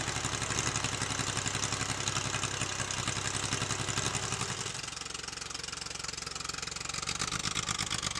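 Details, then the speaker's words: 1963 Chevrolet Corvair Monza air-cooled flat six with new carburetors and fuel pump installed by previous owner but never tuned: lumpy, uneven idle with irregular pulses settling slightly lower midway; runs rough, carburetor tuning planned first. "The previous owner installed new carburetors and a new fuel pump, and it runs and it drives, but it runs a little rough. He never tuned the carburetors, so that's going to be the first thing we're going to have to do."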